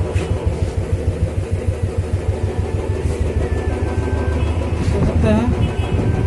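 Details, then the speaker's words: Royal Enfield Bullet 350 after repair of a tapping noise: steady, low thumping idle with no tapping or ticking; the earlier clatter is gone. "बिल्कुल okay report है। पहले खटपट ज़्यादा थी इसके अंदर, अब ठीक है, पहले से बहुत बढ़िया।"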